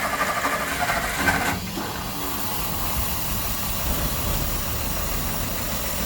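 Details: 1964 Olson Kurbside stepvan, Ford 223 inline-six, first start after sitting 29 years, fresh fuel, choke held: steady low rumble under a soft hiss, idling evenly with no knocks; healthy.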